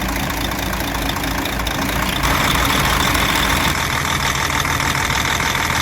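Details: DAF 105 diesel truck, 600,000 km, came in with knocking heard through the air intake; after removing valve cover and checking rocker shaft and lash adjusters, steady even idle with regular beat, no stray knocks, running healthy.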